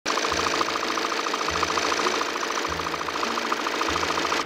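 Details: 2018 Volvo XC90 diesel, 137,292 km: light, fast rattle about three per second from low down riding over the idle clatter; worn crankshaft damper pulley rubber.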